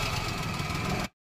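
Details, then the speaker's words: Maruti Alto 800 engine running with a very loud steady rough drone and a gritty hum beneath; checked with the belt removed, water pump bearings completely worn out, water pump replaced. "ये देखो हमने इसकी जो आवाज आ रही है ना वो घू घू बहुत तेज तो उसके लिए इसकी बेल्ट उतार के चेक किया तो इसकी वाटर बॉडी दे देखो पूरी खत्म ये देखो यानी बिल्कुल वाटर बॉडी बेरिंग बिल्कुल खत्म हो चुके हैं"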